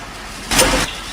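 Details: Hatari HB-T16M2 stand fan, oscillating with a steady hum and a single sharp clunk about a month after the oscillation gear was replaced with a genuine part; drive gear and shaft lock show no slipping.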